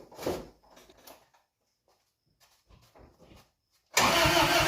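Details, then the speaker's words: 1992 Isuzu pickup with manual gearbox, starting after years of sitting, choked, owner says O2 sensor is bad: a few weak cranks, then it suddenly catches into loud, uneven running; hard, rough start, backfire feared. "heck no it's gonna backfire she is not a happy camper"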